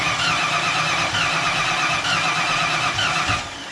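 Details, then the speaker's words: 1988 GT V8 with Trick Flow top end kit and mass air conversion, first start, timing pulled back further: runs rough and uneven for a few seconds, then sags and dies. Won't stay running. "alright alright boys pulled the timing back a little more still not wanting to stay running"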